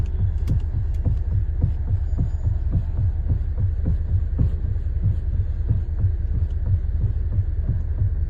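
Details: Mahindra XUV700: deep, dull thumps about three per second under a low hum, felt through the steering; internal steering rack knock, rack assembly replaced with a new one.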